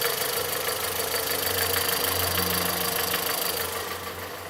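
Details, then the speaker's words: 2014 VW Polo, recently bought, engine running with a crisp regular tapping knock about three times a second over the hum, fading as revs drop; a sensor reading wavers with the knock, and multiple-cylinder misfire codes are stored. "é conforme ele dessa batida sei se dá pra vocês ouvirem a batidinha aquela que eu filmei antes desse vídeo conforme da batida o silas onda"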